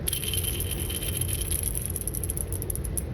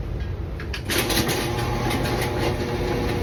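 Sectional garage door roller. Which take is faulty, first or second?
first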